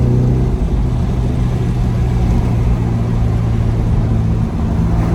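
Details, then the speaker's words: K24-swapped Acura RSX manual, first drive after the build: deep, steady engine drone pulling smoothly and evenly under acceleration with no knocks, ticks or misses; sounds healthy. "Gotta admit, man, it sounds good. It does sound good."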